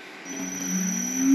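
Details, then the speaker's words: Electric motor run by a precise controller through a simple low-cost throttle, in a homemade electric project; low hum rises gently and evenly from rest with faint high controller whistle from switching transistors; smooth, healthy soft start. "voyez le démarrage est vraiment doux"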